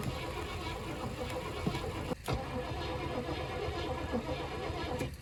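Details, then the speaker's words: 1980 Cadillac Seville with digitally fuel-injected 6.0 L 368 V8, boosted battery, fuel pump heard working: starter churns steadily for several seconds but it never fires; crank no-start, spark not yet checked, cause unconfirmed. "don't think she's gonna go boys we may have to do uh actual diagnosis check for spark i know the fuel pump's working i can hear it"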